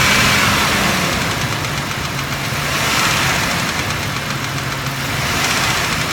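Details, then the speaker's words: 2006 Mitsubishi Raider: light quick ticking at idle keeping time with engine speed, lifter noise from right-hand bank; front three lifters replaced, tapping returned; hydraulic lifter tap. "but anyway having a lifter noise coming from the right-hand side here and what we've done so far is taking out the front the front three that were we didn't know which one was bad"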